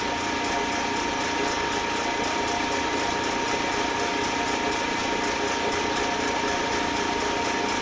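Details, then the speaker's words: Eastwood Elite QST 30/60 scroll air compressor after replacing the failed pressure switch, which had never cut out and popped the 30 A breaker: tank around 120 psi heading to the 145 psi cutoff, steady motor hum with soft airy hiss, no knocks; normal running. "What I'm going to do is follow it until it gets to about 145 where it's supposed to shut off and see if it shuts off."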